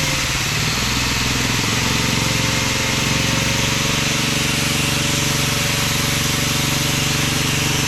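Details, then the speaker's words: Auction-bought small generator running loud and even at steady speed with a bright exhaust rasp and no dropouts, a slight fuel weep from the fuel bowl, slightly stuttery at wide open with choke off; normal running. "well that ain't bad for H 20 bucks is it wow that sounds awesome tiny little bit of a fuel wheep out of the fuel bowl"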